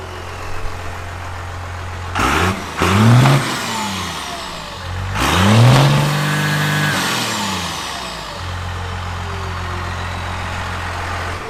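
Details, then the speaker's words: 12-valve diesel with modified fuel plate, first start after the mod: steady idle blipped twice, revving cleanly and returning to idle without running away; smoke not much more than before. "okay so it doesn't uh it doesn't really smoke much more than it did before but it also doesn't run away"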